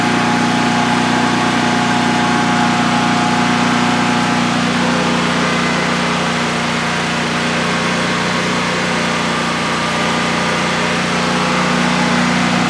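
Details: DuroMax XP15000HX generator on propane, newly installed in a shed, second start, exhaust fan off, five-minute test run: steady even drone at constant pitch with no misses, knocks or rattles; running well, no issues.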